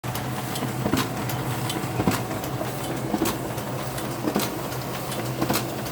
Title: Clicking noise on sp5300dn